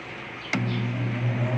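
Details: Old-model Carrier 2.5 HP aircon on a test run. A sharp click, then the compressor starts with a steady low hum that holds even; starting and running normally.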